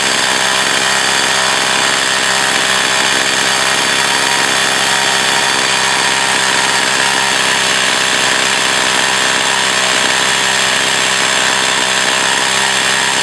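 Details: Echo CS 4500 chainsaw, long unused, carb rebuilt and high-speed needle tweaked: a high, steady screaming engine note with no surging or bogging as it cuts; the saw now operates well.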